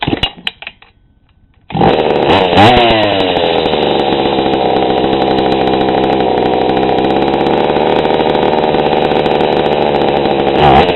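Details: GoPed GSR40 with 603 carb and TGN manifold, low needle set half a turn too lean: it bursts into a harsh buzz, and each throttle blip stumbles and flattens. It still gets RPMs but bogs badly, with a lean low-end bog.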